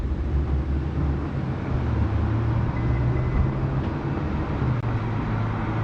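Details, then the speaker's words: Subaru STI engine: steady, even low rumble with no knocks, ticks or misses over six seconds; the engine sounds healthy. "doesn't sound too bad right so motor sounds healthy thank God spent too much money on the thing"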